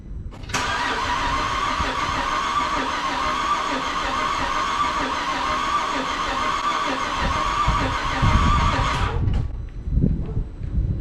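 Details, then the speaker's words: 2010 Holden Commodore VE SV6 3.6 SIDI after fuel injector replacement: starter spins evenly for about eight seconds but the engine never fires; no-start traced by scan tool to a failed ignition coil. "you all right well we uh seem to have some other issue because uh they don't want to start"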